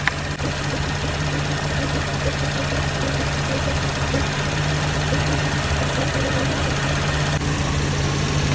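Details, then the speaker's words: Cadillac overheating, sound picked up through a screwdriver held on the radiator fan: rough, steady droning rumble from worn fan motor bearings; the fan slows, and speeds up and quiets when tapped. "problem is the bearings inside this fan see now you can hear it see when I tap on it now it just now it just kicked up and started spinning faster once I tapped on it"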